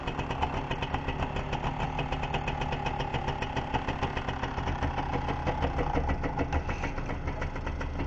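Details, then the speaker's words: MBK/Motobécane AV10 two-stroke moped engine on its first start on a workbench after top-end and ignition rebuild: quick, even popping at a steady idle with rattle from the bench and jack stands; it runs well. "You see, it's running quite well, eh. It's the vibrations of the jack stand on the workbench."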